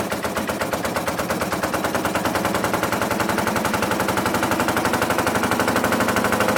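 Loping, uneven exhaust beat around four pulses a second with stumbles in the rhythm as revs rise; the twin is misfiring.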